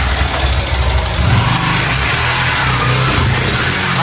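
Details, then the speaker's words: Yamaha Factor motorcycle single, running low on oil. Loud, harsh rattle riding every rev. Diagnosed as a worn cylinder kit, piston and bore, not the connecting rod. "Tá aí esse barulho todinho que vocês viram aí, pessoal, era o kit cilindro, tá? Nem sempre é biela."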